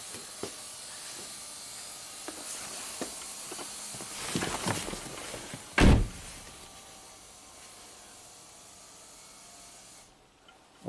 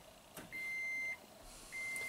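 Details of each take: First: 2010 Toyota Prius, 230k miles, brake booster pump previously cycling from suspected internal leak; with level sensor disconnected, door opened, pump hums steadily a few seconds then cuts off cleanly on reaching pressure. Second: 2010 Toyota Prius, 230k miles, no codes: brake booster assist pump whines and cycles after one pedal press, with hissing of an internal leak in the ABS booster stroke simulator module returning fluid to the reservoir.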